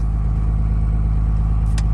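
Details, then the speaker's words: Diesel truck cold start with temperatures in the 20s °F, not plugged in: fires right up and goes straight to high idle, steady deep rumble with no misses or knocks; normal cold-start high idle. "it may go straight to high idle here [Applause] yes it does and i think it'll do that if the temperatures are in the 20s"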